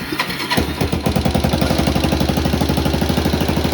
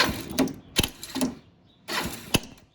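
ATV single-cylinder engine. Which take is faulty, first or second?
second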